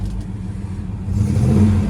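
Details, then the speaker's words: 1970 Chevelle Malibu, numbers-matching 307 V8 rebuilt under 5,000 miles ago, 103,517 miles, TH350 automatic, factory manifolds, newer dual exhaust. It catches into a deep, even rumble, then revs smoothly: healthy. "Let's listen to the exhaust. Let's check out the engine. Sounds excellent."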